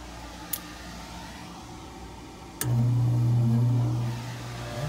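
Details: Gas furnace on a no-cooling call with a tripping breaker, after the blower motor wiring was reconnected: power on and the blower spins up at once, with no five-minute delay, into a steady, even low hum. Back up and running.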